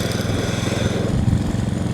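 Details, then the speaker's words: Petrol lawn scarifier working a mossy lawn; a steady low single-cylinder chug dips slightly with a rough pulse as the tines dig into the turf. "It's just dipping in a bit there."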